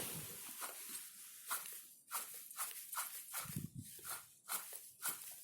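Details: Opel Astra water pump, belt removed, turned by hand: rough gritty grinding in repeated bursts, ran worse with the engine running; worn water pump bearing, pump replaced.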